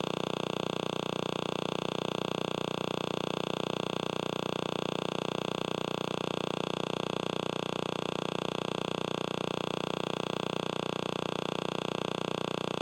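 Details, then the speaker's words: Tablet-type everyday device with a screen, heard through an RF probe: constant raspy electrical buzz with a fine, even pulse, the screen radiating electromagnetic interference. "so there you have it that's just a standard everyday device look at all the noise that that screen is making"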